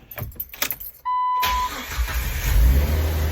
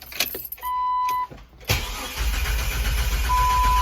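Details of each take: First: Jeep Wrangler after replacing a howling Fuelmiser aftermarket fuel pump; engine start after battery reconnected, loud exhaust rumble, previous fuel pump whine/howl now gone, normal start. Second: Jeep Wrangler with the fuel pump relay pulled to depressurize the fuel line before replacing a noisy Fuelmiser fuel pump. After a door chime the starter cranks steadily at about four pulses a second without fuel, so no start.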